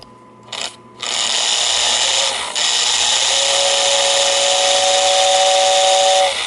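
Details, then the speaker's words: 1949 Lionel 2026 steam engine's whistling tender, whistle motor after brushes refitted, wire held on temporarily: small motor spins up to a steady high whirring buzz with faint whistle tone, running evenly; motor turns freely, normal. "Oh, it made some noise. Alright, let's see if we can see the impeller go around."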